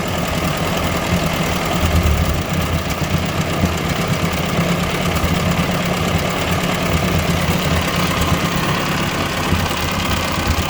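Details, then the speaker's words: 1957 Ford 841 tractor just fired up after fitting a Chinese replacement carburetor, tachometer not working: steady even low idle with no misses or knocks; runs healthily. "All right, I'm about to fire it up so you can see. It actually doesn't sound too bad. I gotta get the tachometer fixed."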